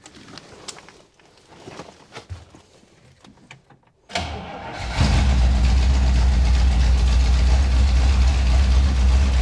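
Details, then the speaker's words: 1961 Buick Electra 225 with a 401 Nailhead V8: it cranks and catches into a steady low rumble held on the pedal but dies when the pedal is released; accelerator pump suspected dirty, carb needs rebuild. "Yeah, see it dies as soon as you uh you let off the the pedal. So like the the accelerator pump is probably just dirty."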